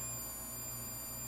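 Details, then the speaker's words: 1960 Tektronix 321 oscilloscope power supply: inverter/chopper transistors sing off-key after an open 10 µF capacitor was replaced; still drawing heavy current, about half an amp, with the supply crowbarring; power supply problem. "those transistors are still singing. But they're not singing very well or on key."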